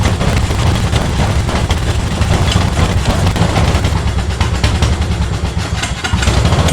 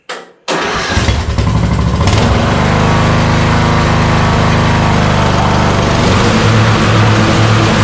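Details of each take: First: Yard Machine mower, sat outdoors for two years, before its second carburetor cleaning: loud, uneven low chugging with ragged stumbles; the small engine runs but keeps spitting and sputtering. Cause not yet confirmed, more diagnostics planned. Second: Yard Machine riding mower revived after two years sitting outdoors, with the carburetor ultrasonically cleaned a second time: engine catches after a brief crank and settles into a steady, even run with no knocks or misses; sounds healthy and ready to mow.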